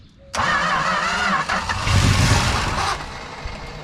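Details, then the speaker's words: 1968 Plymouth Road Runner parked 38 years, distributor moved, air filter fitted, starting fluid sprayed: starter churns about three pulses a second but engine never fires on its own; fuel pump not delivering, later found stuck on a pin. "could hear that pump pumping but the engine didn't seem to know it oh pump's not working no it's not working it just didn't just didn't work"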